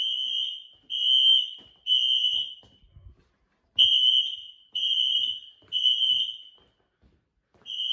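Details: Apartment building fire alarm, heard indoors, sounding about 5 minutes; high shrill horn blasts repeating in long on-off bursts with short gaps; alarm caused by an issue with a first-floor pull station.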